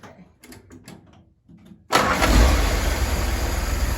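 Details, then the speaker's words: Willys starter, after fixing a Bendix that stuck back, possibly from grit in the grease, and spun without engaging, on the fifth start: starter bites cleanly and engine fires straight into a steady, even idle, no grinding or slipping. "all right this will be the fifth start go ahead"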